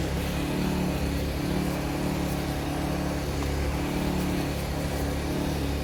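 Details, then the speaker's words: Vauxhall Calibra under restoration, after power steering pipe replaced and refilled: steady idle with faint low whine coming and going; pump noisy after sitting dry for years, owner hopes it calms once warm. "po steing pump is still a little bit noisy but fingers crossed that will calm down once the pipe work warms up"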